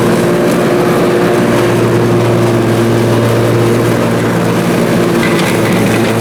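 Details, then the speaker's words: Briggs & Stratton Intek M44 twin on a mower after total carburetor tear-down and clean: loud steady drone holding even speed under mowing load, no surging or hunting; seems all right now, normal running. "so so well there we go it seems as if it's all right now so that is good"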